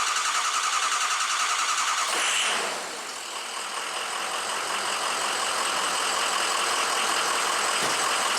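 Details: Diesel truck after a high-pressure pump failure and piston replacement, with O-ringed heads and ARP head studs, most air now bled from the fuel and oil systems: a brief crank, an immediate start, then an even, steady clatter.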